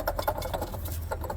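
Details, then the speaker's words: 2008 Chevy Silverado LT 5.3L, belt removed, water pump spinning freely with a rough uneven clicking rattle: pump bearings completely worn out; other pulleys fine; pump being replaced. "The bearings in there are completely shot. That's not supposed to sound like that at all."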